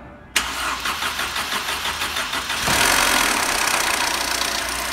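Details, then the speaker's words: Mercedes C180 with M271 engine, cold first start: slow crank of about three turns a second that is slow to catch, then a loud metallic chatter over the idle. Caused by the intake and exhaust camshaft adjuster pulleys, a known fault. "tá vendo além de demorar para pegar ele fez esse barulho porque por causa dessas coisas aqui a grande falha são essas polícias essas aqui estão as rodas dentadas também pode ser chamadas tanto do comando de admissão como comando de escapamento"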